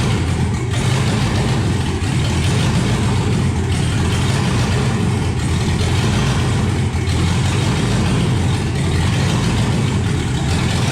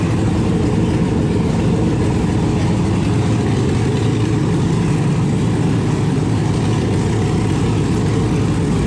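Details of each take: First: 1971 Impala donk with LS swap that died on a light rev after backing out of the shop and since runs on three to five cylinders; rough, lumpy idle with uneven thumps and stumbles, misfire from a dirty computer connector. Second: 1971 Impala donk with LS swap, first running after hours of wiring and low cranking-voltage troubles; deep, even V8 rumble holding steady with oil pressure, no misses, knocks or stumbles, clean idle.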